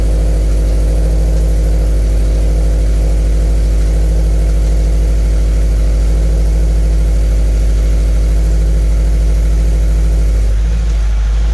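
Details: 2013 Scion FR-S after swapping in a used engine to replace one with a rod knock, idling while coolant is topped off. Steady, even low idle with no knocks or rattles. Normal idle, no weird noises.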